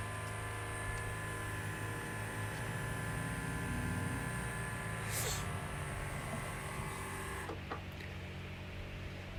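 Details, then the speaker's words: Electric lift fuel pump priming on a Chinese diesel mini excavator at 36.8 hours, engine off, after a spider nest was found as the problem: steady constant-pitch buzz, pump priming normally, fuel level rising before restart. "oh yeah you can hear it little dude's ripping got to open that back up"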